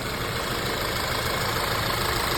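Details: Audi A4 B8 petrol engine idling rough and uneven with a cylinder misfire code. It was not the spark plugs or coils but a replacement intake; refitting the original intake cured it.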